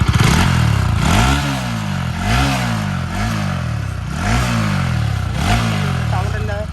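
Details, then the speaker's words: Bajaj NS200 BS3 after repair of engine noise complaint: five clean throttle blips rising and falling smoothly with no rattle, knock or tick; engine sound now normal. "വണ്ടി N S BS three എത്ര sound ആണോ ആ sound എല്ലാം പക്ക ആക്കി എടുത്തിട്ടുണ്ട്"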